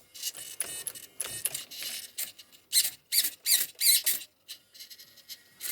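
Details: Savox SV0220MG HV servo newly fitted as the throttle/brake servo on an HPI truggy, before end-point adjustment: quick high-pitched whirs sweeping back and forth, crisp with no grinding. Much nicer than the original servo.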